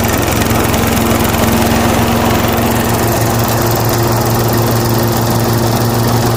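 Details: Toro TimeMaster mower after blade spindle shaft, spacer and bearing replacement, started outside with oil smoke burning off exhaust: small single-cylinder engine running steady, even and smooth, no knock or deck rattle; repair successful.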